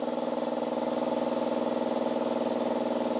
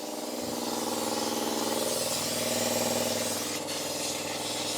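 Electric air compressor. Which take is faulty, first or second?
second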